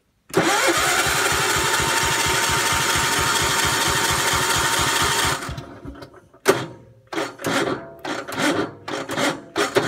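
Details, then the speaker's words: Gravely 432 with rebuilt Kohler K321 engine, which runs a couple minutes then seems to seize: jump-started, the starter chugs laboriously and stalls mid-crank; owner says compression is so high it won't turn over. Cause unconfirmed. "and it gets to a point like that where the motor has so much compression you can't turn it over"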